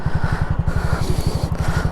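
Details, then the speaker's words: Honda Monkey bike on a world trip: fast steady thudding about twelve beats a second with a dry rub; rear brake sticking and rubbing when applied is suspected. "my bike's just developed uh noise so we need to uh we need to fix something here because it's making a right noise we've got a problem"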